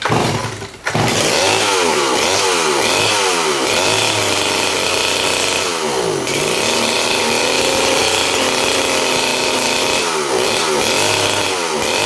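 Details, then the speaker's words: STIHL 041 AV chainsaw, cold start, rarely used: revs surge and sag unevenly with a ragged buzz instead of holding steady; rough running, owner suspects lack of use, not confirmed. "So that's my collection of saws, but the guy in the middle I don't really use much anymore. That's probably why it wasn't running so good."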